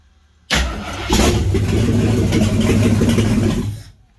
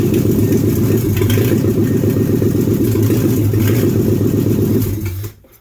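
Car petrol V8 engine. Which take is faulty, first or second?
first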